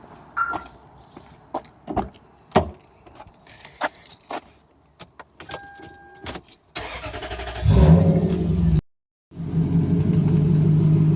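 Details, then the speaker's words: Toyota/Lexus V8 idling after power steering flush to Dexron ATF: smooth, no power steering whine (previously slight whine that morning). "No noises whatsoever now. Before it was a slight, power steering whine. She's all good now, I think, I hope."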